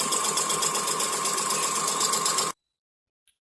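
A fast, even rattling tick, about four a second, rides over a high whirr while it runs: the fan bearings are worn.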